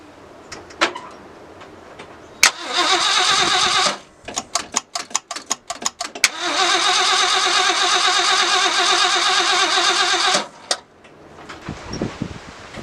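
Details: 1965 Ford Galaxie carbureted V8 after an Edelbrock carburetor rebuild, with only the two front settings changed: it catches quickly on each start and settles into a steady, even idle, and it sounds like it is breathing much better; normal idle.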